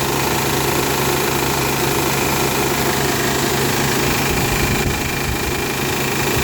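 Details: Honda Pilot petrol engine just after a cold start idles with a busy, loose metallic rattle over a steady hum; it happens only for about the first 10 minutes, then it runs perfectly all day.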